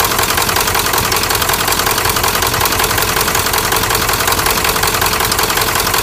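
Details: 1997 Ford F-350 turbo diesel at idle: sharp, steady clatter about 160 a minute over a noisy diesel idle, persistent knock; injectors suspected bad, not confirmed.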